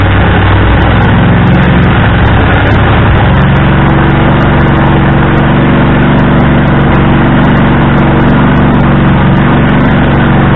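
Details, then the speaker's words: Husqvarna riding tractor after sitting all winter, loud, rough, steady run with hard raspy bark and no muffling; broken exhaust, left unrepaired. "and yes the exhaust is broke i do not care to fix it the quiets up over time"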